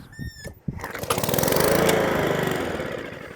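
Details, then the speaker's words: Atco Balmoral cylinder mower that starts but cuts out: pops and revs really high then fades out; sticky governor letting it overrev, freed by hand. "Revs really high, then cuts out. Let's just move that governor out of the way a bit. That governor's a bit sticky."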